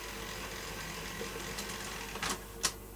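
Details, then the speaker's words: Sanyo Beta VTC5000-series video recorder pressing stop: soft whirring as reels pull tape back onto spools, ending in two sharp clicks; clean normal unlace. "and when you press stop it unlace is here and it needs to keep up with pulling the tape back onto the spools so we'll watch that happen"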